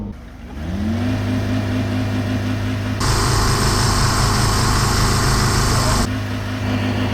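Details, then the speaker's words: Old Volvo run with its oil and coolant replaced by air, revved: rough idle with a steady low knocking from a bottom end starved of oil, and the engine is spitting flames. "right oh this sounds quite knocking yeah"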